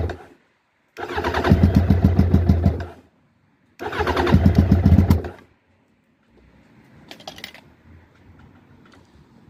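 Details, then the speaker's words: Suzuki Bandit 1200 SK4, carburetted, start attempt before removing carbs: two two-second bursts of steady starter cranking about four pulses a second, no firing at all; the bottle feeding the fuel inlet ran dry, out of fuel. "you know that that that's not going to happen cuz out the P them out fuel so we'll just get the carbs off"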